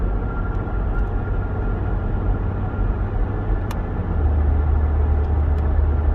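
Deep, uneven rumble from underneath with no clear knock, growing heavier toward the end; could be a worn propeller shaft bearing. Cause suspected, not confirmed.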